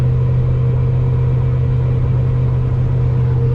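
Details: 1000 rwhp drag car driven on the road with O2 sensor not working: deep heavy rumble with small irregular stumbles in the exhaust note; engine breaking up, owner unsure whether tuning or something worse, maybe needing heads pulled.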